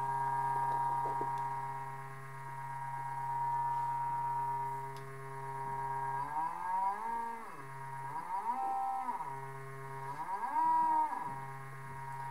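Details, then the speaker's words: Large NEMA 34 stepper on Arduino with 24V supply and ST-M5045 microstepping driver, potentiometer sketch, at low speed: steady electronic hum sweeping up and back in pitch, working fine, normal operation. "so it seems to be working fine now"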